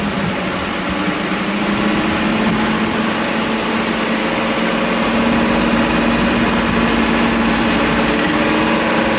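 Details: 2006 Ford 5.4L 2V V8 held around 2300 rpm: steady tapping under the engine hum, most pronounced at that speed; confirmed rod knock from a worn rod bearing.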